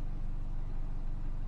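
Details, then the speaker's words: 2013 Hyundai Elantra 4-cylinder petrol idling smoothly with steady low hum, no stumbles, after replacing spark plugs to fix cylinder 2 misfire; check engine light reset by disconnecting battery. "The check engine light will come back on, but the car is running smooth."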